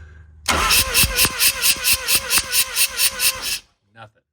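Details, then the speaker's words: Mazda RX-7 rotary, disassembled: even, brisk cranking with seemingly good compression but never catches; no spark found, ignition wiring being traced. "we're going to find the ignition wire now so we have the Turning we have no spark"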